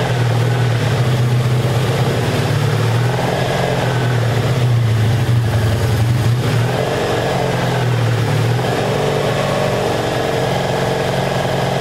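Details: 1984 Honda Saber VF700S V4 after long storage, running with the airbox off: loud, even, deep idle holding steady without misses, knocks or rattles; sounds good, though it should run better with the airbox fitted for carburetor back pressure.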